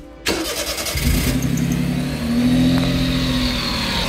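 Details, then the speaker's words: 1992 Honda Beat (PP1) kei car after replacing distributor, rotor and fouled spark plugs; starter whirs briefly, engine catches into a steady even idle, much smoother than before, no stumble or miss, raw fuel smell gone; normal idle. "un ralenti vraiment plus doux, beaucoup plus doux et elle a plus cette odeur d'essence de fou qu'elle avait jusqu'à présent."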